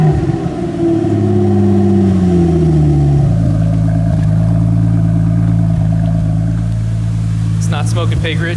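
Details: 1997 Nissan S14 240SX with stock-long-block 2JZ VVTi, first start after installing new injectors, fuel rail, lines, regulator and dual pump hanger: catches, revs briefly, then a steady even idle with no misfire.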